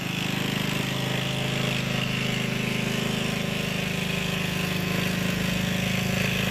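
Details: Gilson rear tine tiller after recoil cleaning, fuel seeping at tank/carburetor seam, tilling soil: steady even single-cylinder chug near four beats a second, no misses or knocks; running healthy under load.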